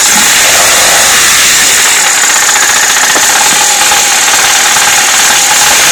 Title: Стук в двигателе